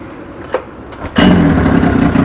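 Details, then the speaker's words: Mikatsu 30 outboard after spun crankshaft splines repair, ignition set by strobe light: quick catch about one second in, settles straight into a steady, even idle; starts very easily, gear engaged, prop and gearbox working. "Очень хорошо запускается. Включаем передачу. Винт крутится, редуктор работает."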